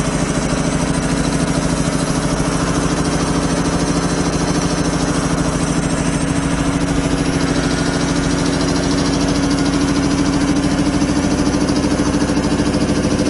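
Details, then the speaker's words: 25 hp single-phase air compressor, loaded with a valve open bleeding the 120-gallon tank from 150 toward 100 psi: fast, very even pumping rhythm with a steady low drone, no knocks or rattles; normal loaded running. "now if you notice the air dropping I've got that valve open and I'll tell you it's bleeding out a lot of air you don't create 120 gallon tank from 150 down to 100 like that without blowing out here you"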